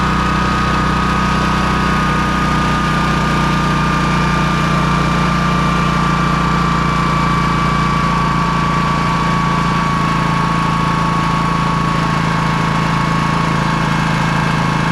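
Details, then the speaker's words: Honda EB3800X generator, GX240 8 hp engine, new carburetor, no load, speed turned down to about 125 volts output: steady, even drone with constant low hum, no hunting or surging; normal governed running. "I slowed it down quite a bit to be at about 125 volts at that RPM."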